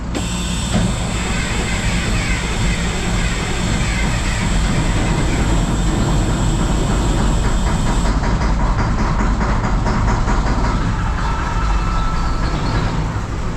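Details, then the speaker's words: 1974 Mack R Model diesel, first start after replacing a bent pushrod, valve covers off: chugging with a stumbling, uneven beat; running rough, owner says not all the fuel is there yet. "that didn't sound right but we got to remember not all the fuel's there yet"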